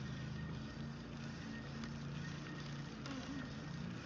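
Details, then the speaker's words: 2018 RadMini folding electric fat bike, derailleur just aligned to its gear during assembly; steady low hum from hub motor and chain while pedalling, no clicking anymore; normal drivetrain running. "Anyways, let's see how it pedals here. It shouldn't make any more of that clicking"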